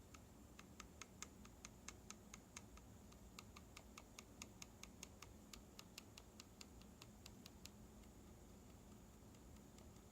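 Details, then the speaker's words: MX Zilent silent keyboard switch built with Alias housings: light, sharp ticks on each gentle key tap over a quiet room, likely stem rocking against the housing; a different top housing makes it quieter. "here's a demonstration of a slight ticking noise that I found is present on some of the MX silent switches that I've made using alias housings you can hear the noise on you just slightly tap the key"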